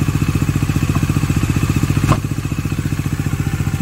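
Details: Bajaj Dominar 400 motorcycle with under 1000 km, idling: regular clattery tapping about four beats a second over exhaust pulse; oil seen being thrown upward, oil level being checked; abnormal engine noise, cause still unknown.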